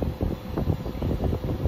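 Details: Central AC outdoor unit on R410A blowing room-temperature air. The compressor hums briefly, low and uneven, without starting because of a burnt terminal and wire on the capacitor; it was fixed by crimping a new connector and replacing the capacitor.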